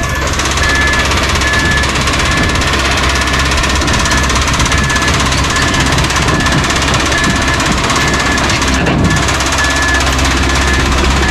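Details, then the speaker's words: Cummins QSB 4.5L diesel started to unload from trailer; loud harsh running with heavy metallic clatter, no clean idle, sounds about to throw a rod; engine bearing knock, suspected serious internal damage. "bad sound sounds like it's about to throw a rod from what i hear which ain't good because they gotta crank this dude up and spin it pretty high rpm"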